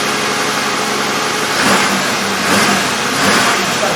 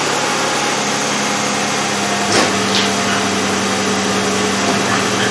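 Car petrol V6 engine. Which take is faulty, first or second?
first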